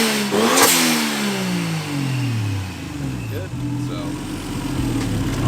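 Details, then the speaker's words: Toyota IS300 with 1JZ engine after installing a fuel pressure regulator to fix a fuel issue: crisp revs climb and fall cleanly, pitch tracks throttle, no misses or rattles, no leaks; running healthy. "otherwise no leaks everything's good cars running as you can see it sounds good"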